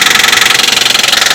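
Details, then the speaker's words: 2004 Nissan Pathfinder, 14,000 shown: loud, rapid, evenly spaced knocking, roughly seventeen per second, at idle; serious internal engine knock, source uncertain. "We got this really bad knocking noise in the engine."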